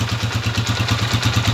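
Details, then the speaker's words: Honda TMX 155 single-cylinder motorcycle idling right after valve clearance adjustment to 0.05 mm: even beat with light, steady rocker arm tapping, a normal, well-adjusted valve train. "yan pa lang mga ka yung andar niya ay pantay-pantay yung palo ng rer arm yan oh okay diretso lang siya"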